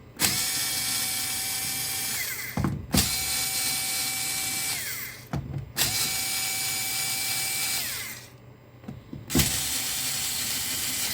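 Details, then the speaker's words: Parkside PAS 4 D7 cordless electric screwdriver with PH2 bit and extension, loosening fuse terminal screws: three steady high motor whines, each dropping in pitch and stopping as the screw breaks free with a slight jerk. It pulls cleanly without labouring. "Widać delikatne szarpnięcie, ale oczywiście urządzenie żadnego problemu nie ma z tym odkręceniem."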